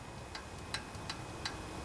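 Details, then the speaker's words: Honda GC160 pressure washer engine found at a junkyard, clicking loudly from the upper end; pulled slowly by hand, sharp metallic ticks about three a second from the exhaust valve, suspected out of adjustment, to be checked with feeler gauge. "doesn't move much but I think it's probably out of adjustment let's get my feeler gauge and check it out"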